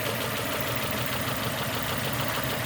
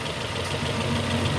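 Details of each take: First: 2002 Nissan Almera N16, QG18 cable-throttle engine, with a rough, lumpy idle and uneven low thumping. Cylinders 3 and 4 are not contributing, so it runs on two, because two ignition coil connectors were swapped after a spark plug change. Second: 2002 Nissan Almera N16, QG18 cable-throttle petrol engine after repair: even idle with no misfire. The misfire after a spark plug change was caused by two swapped ignition coil connectors, which were exchanged back.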